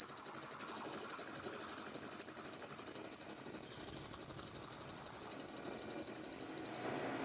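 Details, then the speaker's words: Lathe machining a motor adapter for a vertical electric motor, a 20-thou pass on an interrupted cut after 10-thou passes. Piercing, steady high ringing through the cut stops as the tool clears: chatter, the pass too aggressive, so 10-thou passes preferred. "I'm scared it's gonna get too aggressive with that interrupted cut. You can definitely hear it now."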